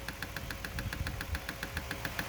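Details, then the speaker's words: 1983 Porsche 944 cooling fan under test runs slowly with a sharp, steady tick about seven times a second over a low hum; owner suspects the blade is hitting something and that the fan should spin faster. "it's not moving very fast. I kind of hear it clicking. I think it's just hitting something."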